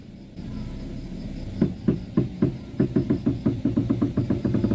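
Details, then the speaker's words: Front wheel of a car (Avanza/Xenia-type), sharp tek-tek knocks while steering left or right, quickening to several per second as the wheel turns, also over holes and bumpy roads; worn, dry inner tie rod knock. "Ketika belok ke kiri atau ke kanan atau saat nginjak lubang atau berada di jalan yang bergelombang, Teman-teman, ya. Bunyinya nanti seperti ini, ya teman-teman ya."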